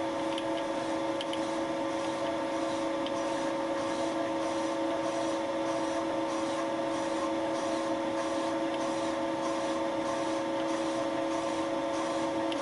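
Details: Light pass with Wohlhaupter UPA5 boring head on a Thiel Duplex 158 mill boring out a molten plastic lawn mower bearing seat, quill auto feed; even mid-pitch tone, light rub, no chatter: normal boring cut.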